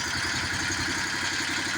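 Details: Bobcat zero-turn mower small engine, which had cranked with no spark, runs at a steady, even clatter with no misses or surges once a jumper wire bypasses the seat switch; normal running.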